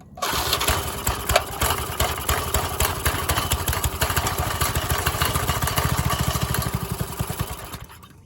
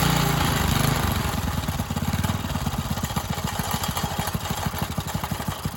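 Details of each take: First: Old Briggs and Stratton garden tiller engine: fires rapidly about three beats a second for eight seconds, then fades and dies; owner suspects a clogged carburetor starving fuel and may need to pull it. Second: Free Briggs & Stratton tiller engine after carburettor cleaning, fresh gas and starting spray: single-cylinder chugs about three beats a second with uneven loping firing, as if cammed. Lumpy idle.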